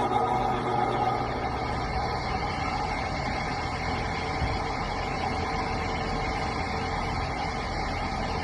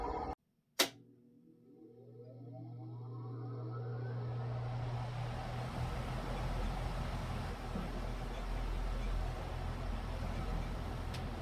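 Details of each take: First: ILG Model 243 fan before bearing replacement: motor spins up with a rough crunchy growl over its hum from dry, loose original New Departure 88503/88504 bearings, plus shaft end play; start seemed slower. Fixed with new sealed bearings and spring washer. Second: ILG Model 243 fan start-up after replacing dry original 88503/88504 bearings with new sealed ones and adding a rear spring washer to remove 3/32" shaft end play: a click, low hum and smooth whine spinning up, now smooth and quiet.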